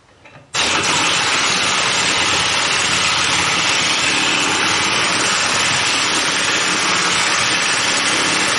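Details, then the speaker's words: 2007 Chevy Impala, heard while checking a rear-end noise. Engine catches and settles into a loud, raspy, hissing idle, much noisier than stock. The muffler is worn out and may be part of the rattle. "one thing i see is my muffler's shot i wonder if things so i loud that might be part of the rattle here"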